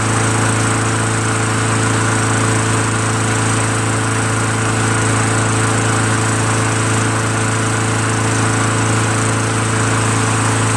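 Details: Craftsman Eager 1 22-inch self-propelled mower, 5.5 HP Tecumseh, rebuilt carburetor, after governor adjusted back a smidgen and warmed up; steady even single-cylinder drone at one pitch, no misses or surging, starts well. Normal running after repair.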